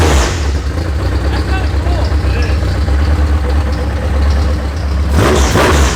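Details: First start of a newly built high-compression Honda K-series engine in a Nissan S13, oil pressure confirmed; loud, deep, slightly lumpy idle through an open header with steady low burble; running normally, sounds healthy.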